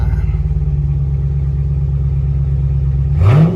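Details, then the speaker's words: Car at a Copart auction with 91,000 miles: a low, even idle rumble, then a quick clean rev that climbs smoothly and settles back; normal healthy idle and revving. "Let me give it a little rev. Oh yeah, this sounds great,"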